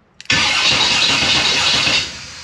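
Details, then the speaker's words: 1957 Chevy being converted to a convertible, on a new cheap aftermarket wiring harness: the starter spins the engine briskly for under two seconds with an even churn, testing the harness's start circuit. Normal cranking, no fire. "so there we go so this works"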